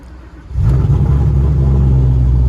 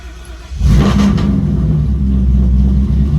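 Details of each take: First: Silverback Mustang GT500 V8, hot restart after a drive while trying to catch an intermittent hot-start fault for a Lund Racing data log: engine catches half a second in and settles into a deep, steady idle without sagging; the fault did not occur. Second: Silverback Mustang GT500 V8, hot restart: engine catches with a quick rev flare, then drops straight to a low, rough idle and wants to stall; the tune may need to rev up slightly and fall slower. Cause unconfirmed.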